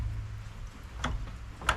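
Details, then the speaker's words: Polaris Sportsman 500 ATV winch on 12 volts with engine idling: two sharp clicks, motor won't spin; it is getting some power, and the owner suspects the winch motor is toast after a failed rebuild. "maybe the winch is just toast it's definitely getting juice not very much but that gives it enough juice to kick off"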